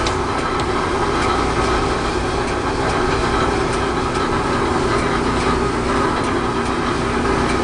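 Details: Whirlpool LE5650XMW2 dryer running: steady drone with a fast, light, even rattle ticking through it, caused by the idler pulley.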